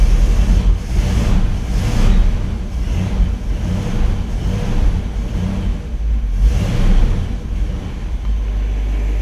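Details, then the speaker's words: 1959 Chevy Bel Air 348 V8, Rochester 4-Jet carb air bleeds just sprayed with Gumout, cranked without choke; deep lumpy idle surging every second or two, stumbling and clearing, engine flooded from carb cleaner. "See, it's definitely flooded. I might just push the gas and hold it. Yeah, I flooded it out pretty good."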